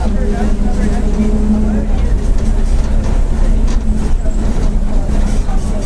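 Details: Torino 2007 bus on Mercedes-Benz OF-1722M chassis, on board while cruising: steady low drone over engine and road rumble; differential howling loudly.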